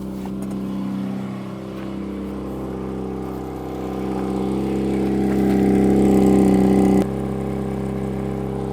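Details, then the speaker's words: Peugeot 205 with a used replacement exhaust fitted after the previous one was cut in two; steady, even note rising smoothly with revs, no blowing or rasping, much quieter than before. "it's not in great condition on the outside but it's in much better condition than the one that I cut in two and now it makes a lot less noise"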